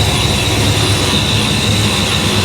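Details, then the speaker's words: Supercharged 347 V8 Foxbody Mustang, cold idle just after oil pump swap: loud steady rumble with constant, unwavering supercharger whine, now much quieter than before; owner thinks the oil may be too thick. Normal whine. "I got to say the supercharger is much [Music] quieter it's not gr oil it's not Gro as hard I think the oil is maybe too thick"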